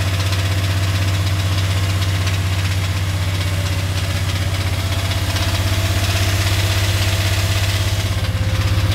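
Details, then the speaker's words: Dodge Dakota 5.9L 360 Magnum V8 at raised idle (feeler gauge behind idle screw): steady sharp clatter about four knocks a second; heard most through block and transmission housing, suspected bottom end or transmission, not confirmed. "and it's either coming from the bottom end or from that transmission because when I touch the block or even the transmission housing that's what I'm hearing it the most"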